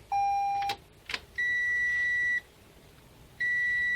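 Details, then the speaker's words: 2017 Toyota C-HR with a newly installed SkyBrake immobilizer with motion sensor, key turned with the tag battery removed: a steady high beep, then two longer higher beeps about a second apart, no engine; the immobilizer cannot read the key tag, so the car won't start. "Maintenant, je vais tourner la clé de contact, si le dispositif d'immobilisation ne reconnaît pas étiquette, vous entendrez le son les signaux d'avertissement cette marque ne peut lire,"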